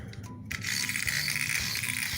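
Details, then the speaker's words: Playart HO 2-6-0 steam model locomotive on track: fast, tinny ratcheting and clicking grind as the motor strains; a cracked gear or gear slipping loose on its axle suspected, unconfirmed. "there we go that's what it says that does not sound good sounds like maybe one of the gears that could be cracked"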